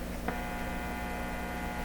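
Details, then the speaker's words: Hallicrafters TW2000 valve radio on bench supply during repair: steady low buzzing hum, not affected by volume control, heard directly on the B+ supply and heater supply; one of the supplies is very hummy. "Aha! Well, it's just all screaming humming the B plus."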